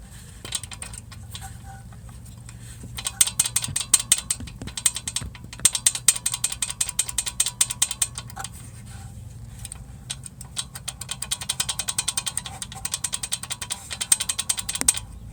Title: GOLF MK7 1.4 TSI (KOREA) wastegate actuator rattle noise